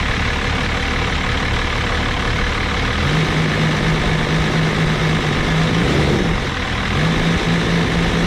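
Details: 1989 Dodge Ram D250 with 12-valve Cummins turbo diesel (VE pump), new water pump, alternator and thermostat, warming up: steady even low diesel clatter at idle, no knocks or misses; oil pressure normal.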